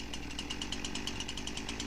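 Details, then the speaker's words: Husqvarna 346XP chainsaw with high idle and chain that wouldn't stop turning; after a first fix the chain no longer drags but the saw still runs wrong, high buzzy uneven hunting note; air leak, later found at the base gasket. "so you can see our chain isn't dragging anymore saw is still not running right but the chain isn't dragging anymore"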